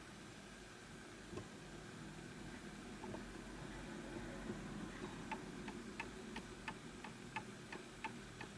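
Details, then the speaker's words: Antique Enfield Westminster chimes mantel clock, fully wound, during maintenance: soft tick-tock about three beats a second with uneven tick-to-tock spacing, out of beat and would stop; being nudged to correct beat. "So this will stop because you can hear that it's off. Now, just going to push it back this way."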